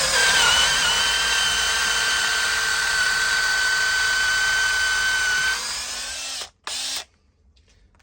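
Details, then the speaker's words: Makita DDA351 LXT cordless angle drill after repair, boring wood with a 10 mm wood bit: a smooth, steady high whir with no catching or clicking in the gears, then it spins down; the earlier awful noise is gone and it sounds healthy. "good Nick it doesn't make that awful sound anymore as you can see I've got a 10 mil wood bit in there"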